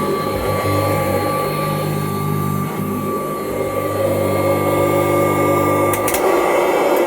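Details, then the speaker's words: 1984 Kirby Heritage 2 upright vacuum, model 2HD-13, not run for 4-5 months or more, grooming carpet: steady, even motor hum with constant fan whine, no rattles or surging; normal running. "Ain't ran it in, probably 4 or 5 months, maybe longer than that. Still sounds good."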